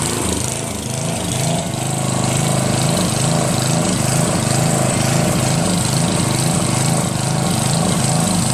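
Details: Northern Hydraulics pressure washer, Briggs 3.5 hp engine with primerless vacuum fuel reservoir, unused 8 years; after starter fluid start and fixing hose, wand and clogged rusted tip, single-cylinder engine runs steadily with even pulse and pump chatter; working normally.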